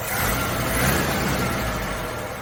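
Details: Carbureted Suzuki Samurai (SJ410/SJ413) after troubleshooting, in cooler evening air: after a couple of pedal pumps it catches and keeps running with a rough-edged but continuous, slightly swelling rumble. Firing again. Normal running.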